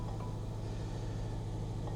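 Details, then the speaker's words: Jaguar F-Pace (Ingenium engine), 109,000 miles, cold morning, just started: two soft dashboard chimes about two seconds apart over a low steady engine hum, warning of check engine light, tire pressure light and SOS system disabled. "looks like our oh we have a check engine light tire pressure light SOS system disabled I think that's what that said"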